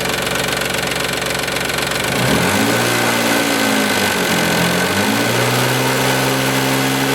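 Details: 1995 Isuzu Rodeo 3.2 V6 with about 151,000 miles, idled then revved: a steady knock that abates around 2500 rpm, felt more on the driver side near the timing belt and also heard below. No metal shavings were found at the oil change. The timing belt and tensioner were reportedly replaced before. The owner suspects the tensioner but fears a rod bearing.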